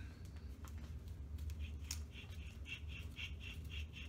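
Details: Trailblazer SS front wheel hub, old unit removed after a Service Stabilitrak warning and front-wheel noise: hand-spun hub gives a rhythmic high squeak about four times a second over a low rumble; worn bearing, new hub is silent.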